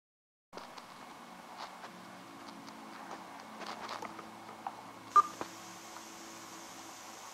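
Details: LG G2 phone on KitKat firmware, after update with suffix 'G': volume-key blips, then a steady high hiss starts and continues; adjusting volume still triggers the hiss; audio hiss after volume change.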